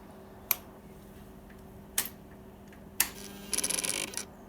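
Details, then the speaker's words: Kawasaki Ninja 250R just started during restoration: soft sharp clicks about a second apart, then a brief fast chattering rattle from the actuator valve, judged faulty and needing replacement. "This actuator valve is making noise. Listen to this. I don't know if you can hear that. It's a little bit soft."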